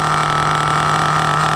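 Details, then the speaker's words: 2002 Tamiya Terra Crusher 1/8 nitro monster truck idling very rich, throttle lowered: steady high-pitched buzz at even speed, no stumbles; clean idle, truck creeps forward, worn clutch springs suspected. "But yeah, look how beautiful this thing runs."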